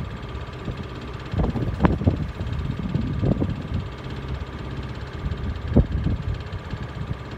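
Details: Miele W418 Honeycomb Care 5 kg washer, overloaded with bricks, at 1600 rpm spin: spin roar broken by heavy irregular thumps once or twice a second. Owner suspects a broken spider; the drum wobbles slightly, fine to about 900 rpm.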